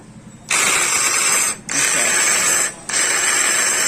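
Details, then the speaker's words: Bajaj Discover 135 motorcycle, self-start pressed with key on; three short bursts of high ratcheting whir with no engine turnover, starter spinning but not turning the engine, kick also tight. "तो मतलब self तो ले रहा है friends, मतलब जो magnet है, magnet engine को नहीं घुमा पा रहा है।"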